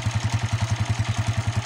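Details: Stock Honda TMX 155 motorcycle that had spark but would not start, after repair (ignition coil blamed, new CDI and spark plug hadn't helped): steady single-cylinder putter, about nine even pulses a second, no misses; starts on the first try, idles cleanly.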